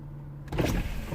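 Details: 2003 Mercedes CLK 240 (W209) convertible soft top, after fault repair found via live data: silence, then brief pump whirr and mechanism clatter as the top starts moving; roof now working normally.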